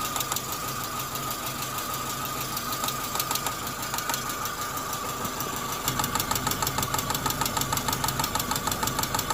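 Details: Chevrolet Corsa Montana 1.4 sedan at steady idle: a light, fairly regular tapping about one and a half per second over a high whine; owner asks what the engine noise is, cause unclear; engine knocking.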